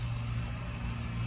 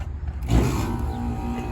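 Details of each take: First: Old central AC outdoor unit with 110 V on each incoming line: steady low hum as the compressor tries but fails to start, drawing about 70-plus amps; swollen failed dual run capacitor stops compressor and fan. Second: Residential central AC that was blowing warm air, after its failed dual capacitor was replaced: a thump at startup, then a steady low compressor hum with an even fan whoosh. Compressor and fan running normally.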